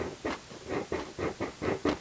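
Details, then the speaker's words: Altec 604-8G studio monitor woofer before recone: test bursts come out buzzy and scratchy with a raspy edge; voice coil likely overheated from overdriving and rubbing. "very bad. That means that the voice coil likely got a little bit too hot. It was overdriven."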